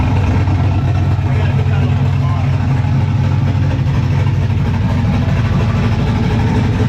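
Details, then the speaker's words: Turbo LS 5.3 Vortec Camaro with new self-tuning Holley Terminator Max ECU, first startup in garage, running a little rich: loud, deep, lopey idle a little over 1000 rpm with uneven choppy beat, normal for a big cam. "yeah man ain't that choppy like a little over a thousand still though that's where it's going to be with a big cam"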